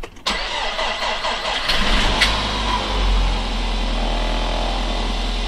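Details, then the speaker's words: Nissan X-Trail with a suspected blown head gasket, cold start after a below-zero night outdoors: cranks briefly, catches and settles into an even idle with no stumble, firing evenly on all cylinders. Normal cold start. "sounds fairly consistent across the board doesn't"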